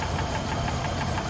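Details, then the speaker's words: High-mileage engine (190,000 miles) with loud lifter tick and knock, idling after oil change adding one quart Lucas Oil Stabilizer; light, fast, even upper-engine ticking now very faint over steady hum; cause not confirmed. "i can still hear it but that's very very faint i think the camera's picking up a lot of noise which is good but"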